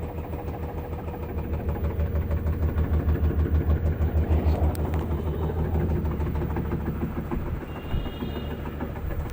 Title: faulty drum making noise